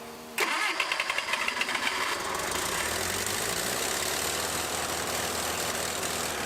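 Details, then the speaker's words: 642 Bobcat skid steer bought at auction, first run after getting it going: engine catches and surges unevenly under throttle; not running poorly, the governor is hunting. Idle not yet set, terrible exhaust leak at the manifold. "It sounds like it's running poorly. It's not. It's the governor."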